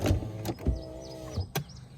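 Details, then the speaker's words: 2004 Toyota RAV4 power window after reseating glass on rail and applying dry lubricant to the tracks: short steady motor hum with a few soft clunks as glass travels and stops; window working, normal operation. "all right there it is we've lubricated it with some dry lubricant i hope this uh this will dry sometime and it'll dry on the tracks too it might make a little bit better but uh there it is it's working"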